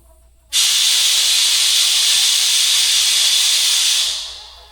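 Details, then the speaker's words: Sun Tracker pontoon tube being pressurized with an air inflator to find a leak: loud, steady high hiss of air rushing out; tube leaking fast. "I can already hear it leaking. Wow."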